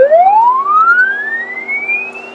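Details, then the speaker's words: CB radio transmitting a swept test tone, heard on a Yaesu FTdx3000 monitor: the tone rises smoothly but is slightly distorted and rough at the low frequencies, holds a good modulation level, then fades away toward the top as the highs roll off. "but you'll notice there is distortion you'll see how the waveform is slightly distorted at the low frequencies it levels out stays at a good modulation level"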